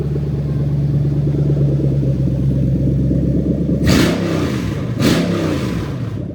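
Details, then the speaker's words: Lexus SC430 3UZ-FE VVT-i V8 on IS200 swap harness, warmed just over cold, idling about 1000 rpm: idle turns lumpy and uneven with stumbles; induced single-cylinder misfire. "jetes and coils I'm going to go and unplug them all one by one so you can hear every single cylinder misfiring as I do"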